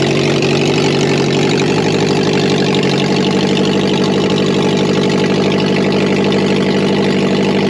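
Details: Subaru BRAT project car idling with catalytic converter removed after knocking was traced to the cat, not the motor. Steady, loud, raspy idle with quick even exhaust pulses and no knock.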